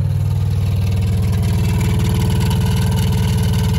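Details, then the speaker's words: Consul CRA35A refrigerator compressor, previously serviced, not cooling properly: loud, fast, steady low thumping/knocking as it runs; one of three internal suspension springs broken, compressor condemned. "vem esse barulho parece até uma brincadeira mas compressor condenado que acontece nesses casos"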